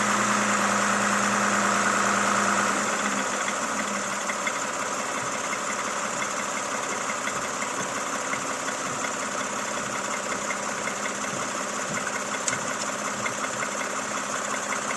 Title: camry xv70 3.5L, стук в двигателе, пробег 30 000 км.